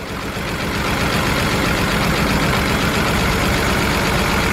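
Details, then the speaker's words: BMW 328i engine idling unevenly with a choppy pulse during a coil-unplugging test. Unplugging coil four makes no change, so cylinders three and four are misfiring. The plug is doubted; a bad injector or possibly a blown head gasket is suspected. "number four no change whatsoever we got an issue with three and four which is not good at all"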